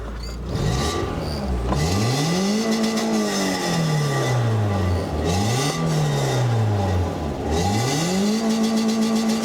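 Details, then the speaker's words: BMW E36 Compact with reportedly gutted catalytic converter, heard from the rear: revs swing up and down with coarse, loud, raspy exhaust drone; idle is a bit rough; gutted cat suspected, not confirmed. "So we're going to rev it now, see how bad it sounds, because apparently the cat's been gutted, so it's going to sound awful."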